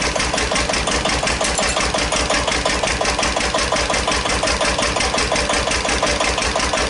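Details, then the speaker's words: 1941 Witte CD 12 hp single-cylinder diesel 8000 W generator set, just started after long storage, warming up, no load: steady, slightly quick even thump with clean exhaust bark, idle high; owner suspects fuel pumps sucking air. "all right he's running just a little high oh let her warm up a little while"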